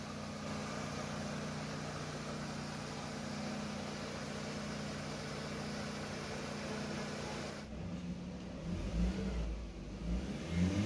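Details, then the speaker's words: Mercedes C180 just after replacing the faulty knock sensor, started up: steady clean idle hum then a few smooth rev blips; no knock or rattle, engine runs smooth and healthy. "एक पाठ start हो गई अल्हम्दुलिल्लाह हैं अबे देख सकते engine smooth खड़े हैं"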